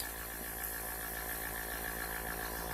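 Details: Small airbrush compressor, rated up to 40 PSI and awaiting a regulator for 3–5 PSI, running on the bench: faint, steady hum with a light, unwavering high whine. It is running smoothly and quietly.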